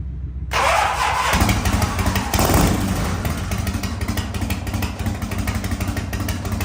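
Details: 1985 Harley-Davidson FXRS Evo V-twin, sat five years, new carburettor, oil-mixed fuel, smoking heavily: fires straight up, revs briefly, then holds lumpy but continuous idle with no misses; runs fine on this carburettor.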